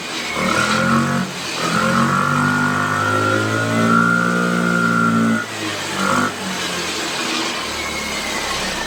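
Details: Piaggio Liberty 125 scooter after starter electrical repair and new spark plug, barely started with starter spray, carburetor not yet cleaned: engine note sags and surges, cutting out between weak revs; struggling with no power.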